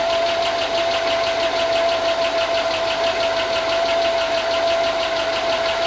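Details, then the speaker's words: 2005 Chevy Tahoe 5.3 L LS, unrun for a long time, running after grounds thought to cause the no-spark fault were fixed: fast light ticking over a steady idle with a faint whine. Owner thinks lifters not yet pumped up. "okay yeah it's uh it's it's ticking like I just sent you video it's ticking I think I think it's just lifters though"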